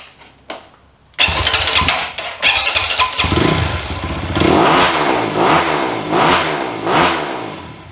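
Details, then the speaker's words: 2020 SSR SR300 dirt bike with newly installed Lectron carburetor: engine fires after a couple of tries, then blips up and down repeatedly with clean pickup and no misses; healthy start and free revving. "this bike sounds incredible cannot wait to ride it guys"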